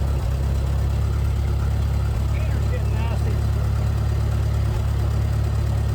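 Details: International Harvester 434 gas tractor that sat unused for a long time, on a boosted battery, after reconnecting the governor rod to the carburetor: steady low rumble with an even beat, no misses or knocks at idle. Normal running.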